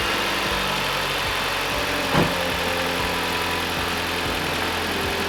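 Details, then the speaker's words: 2018 Dodge Journey 2.4L after alternator replacement, microphone placed close to the engine, charging 14.6–14.7 V: smooth, even idle with steady hum, no knocks, ticks or whine. Normal idle after repair. "Everything's going pretty good. Yes. Sounds way better."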